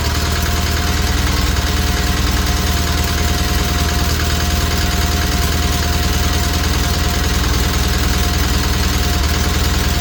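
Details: Old John Deere tractor after valves lapped and timing reset, warming up on a cold morning: steady single-cylinder putter at constant fast idle, even beat, no knocking or surging.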